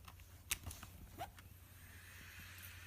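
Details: 2.5-inch external hard drive powered by USB: sharp irregular "clac clac" clacks over faint hum as failing head knocks, though platters keep spinning; head and/or PCB replacement considered.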